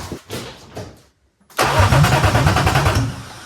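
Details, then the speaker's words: BMW E36 318 Touring with a swapped M52 six-cylinder, after adding an engine-to-body ground wire that cured a snapping noise and hot wires: the starter cranks evenly at about three turns a second, spinning freely. Normal cranking. "it's spinning so easily."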